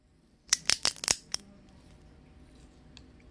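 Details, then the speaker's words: Carbon seatpost gripped and squeezed, giving five sharp, high cracks within about a second, then quiet; the carbon fibres inside are failing under the clamping load, showing how fragile carbon is. "아주 경쾌한 소리가 나죠. 타면서 이런 소리 나면 소름 끼치겠죠. 네, 이렇게 이런 소리가 나요. 안쪽이 막 이제 애들이 맛이 가기 시작하죠."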